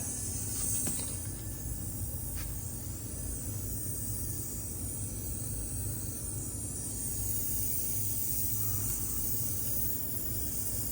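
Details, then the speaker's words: 1998 Honda XR400 during a leak-down test, engine not running: steady airy hiss of air escaping from the crankcase breather while cylinder loses pressure; blow-by past rings. "where's the Breather so it's coming out of the Breather that works out as Blow by"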